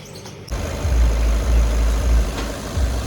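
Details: Skoda Laura diesel, automatic transmission, after fixing flywheel knocking and refitting transmission; catches and settles into steady low idle, no flywheel-end knock; smooth and healthy.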